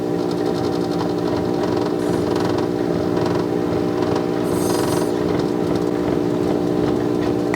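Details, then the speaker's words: 1960s RCA Victor 1-EMP-2K portable record player at power-up: steady low hum under faint surface scratch, unaffected by volume; filter hum from failing filter capacitors letting AC into the DC line. "That's just filter hum right there. If you can't adjust it, that means the filter capacitors going out. There's AC getting into the DC line."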